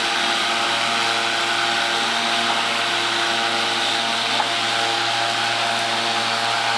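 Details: Battery-powered electric lawnmower, four 12 V 12 Ah AGM batteries giving 48 V (52.8 V measured) to a DC permanent magnet motor: steady even hum at constant tone, no knocks or surges under load; motor runs smoothly.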